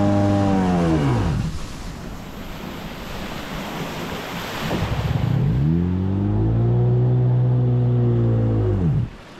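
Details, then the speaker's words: Jet ski revved under throttle on water howls up fast and flattens on the rev limiter, dropping away twice; pump cavitating, likely worn jet pump wear ring or intake blockage; it also cuts out briefly at sustained full throttle. "you can hear when I rev this thing out it immediately goes onto the rev limiter so it's it's not pumping or pushing the water like it's supposed to"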